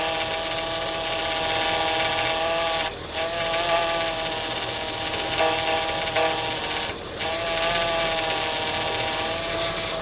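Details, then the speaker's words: 2004 Acura TL after power steering reservoir replacement (old one cut by serpentine belt, leaking fluid), engine idling while wheel turned left to right to bleed: steady high whine that wavers and dips; air bubbles in power steering fluid. "Now we're gonna turn the steering wheel left to right to take out the air bubble. So I see some air bubble."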